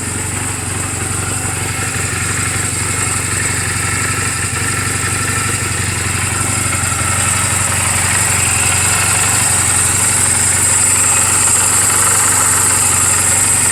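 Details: 2007 Honda Rebel 250 in neutral, oil just changed and valve clearances just adjusted; even, steady putter of about four pulses a second with no ticking or misfire: normal idle.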